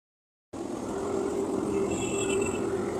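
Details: Kia Picanto AC compressor: a steady whirring hum with a rough, scraping edge, suspected from a worn compressor pulley bearing, which is replaced with a new bearing.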